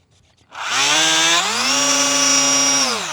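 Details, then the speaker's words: Eachine P-47 Razorback 500 mm RC plane on 1S 500 mAh pack, throttle run: high buzzy raspy whine rising with throttle then easing; gear is noisy, probably rubbing somewhere, still enough power; gearbox noise. "it's probably rubbing somewhere in there but honestly it's got enough power so i'm not super worried about it"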